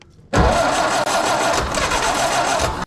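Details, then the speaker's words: 1931 Ford Model A with side-draft carb and electric fuel pump in the frame rail: starter churns about two and a half seconds and stops without the engine catching; crank-no-start, fuel delivery problem being troubleshot. "keep in mind this vehicle is 93 years old and we're just kind of troubleshooting just trying to figure out why fuel isn't getting to where it needs to go"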